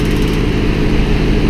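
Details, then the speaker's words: Home heat pump outdoor unit in snowstorm cold: heavy, uneven low rumble and droning hum from the fan, probably ice on the blades throwing it out of balance; owner turns it off and switches to emergency heat mode. "got some ice on the blades kind of out of balance probably here to turn it off and uh put it in emergency heat mode"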